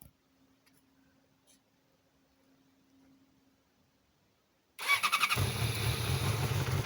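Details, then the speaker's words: Yamaha R6, first cold start right after clutch reassembly to cure a loud clutch-basket knock: engine cranks, catches and settles into an even cold idle with no basket knock felt or heard; normal. "ну вроде нормально я даже не слышу как на холодную корзина бьет по рукам через руль сейчас прогреется посмотрим"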